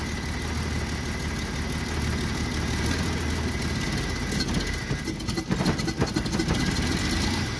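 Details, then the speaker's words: Jeep with new distributor cap, still running poorly: engine smooths with raised rpm but hangs high and hunts unevenly when released, slow to return to idle; cause unknown. "if i raise the rpm a little it seems to smooth out with more rpm and then when i let off it has kind of a hard time going back to idle"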